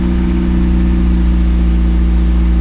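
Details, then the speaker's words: Boosted (turbo) Miata after fitting a used VVT gear and retensioning the belt, just started, before warm-up: steady even low idle with no knocks or stumbles; timing appears fine, normal idle. "So let's see what happens. Sounds good. Idling good. So I think my timing's fine."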